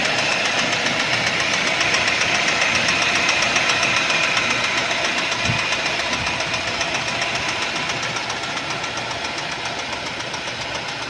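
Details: 2012 Mercedes-Benz C180 (S204) petrol, 1796 cc M271 engine, 115 kW, 159,658 km: sharp, even metallic knocking about 220 a minute over the running engine, easing slightly as it settles; crankshaft bearing knock.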